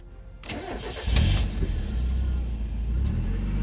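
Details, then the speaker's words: Mazda Miata after new thermostat, fuel pump, fresh fuel, radiator hoses and coolant: brief cranking catches cleanly and climbs into smooth steady idle with no misses or stumbles: normal start. "awesome so we did it guys the Miata is alive she's back"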